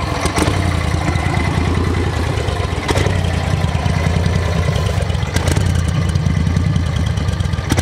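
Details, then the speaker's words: 1995 Max II 6x6: engine surges about every two and a half seconds, hunting instead of holding steady speed; owner suspects governor needs adjusting. "it runs runs pretty good I think it's kind of governor issue you gotta run the truck out a little bit you can hear it"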